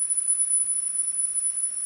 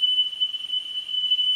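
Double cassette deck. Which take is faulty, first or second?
second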